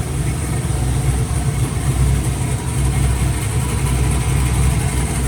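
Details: Truck after transmission rebuild with new torque converter and flex plate: steady, even low rumble with no knocks, misses or whine; idling smoothly and healthy.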